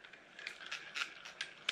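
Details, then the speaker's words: New Penn Spinfisher 440SSG spinning reel: dry gritty crunching in uneven bursts while cranking. The main gear flexes and wobbles in the housing, not bad bearings. "hear that sound there that's because the uh the main gear is flexing inside the the housing means this thing kind of wobbling a little bit so"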